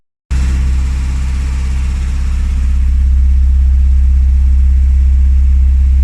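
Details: Classic Rover Mini with points ignition, started after sitting three months with heavy battery use: the engine catches and settles into a steady, low, even idle with a slight rise in speed, sounding healthy.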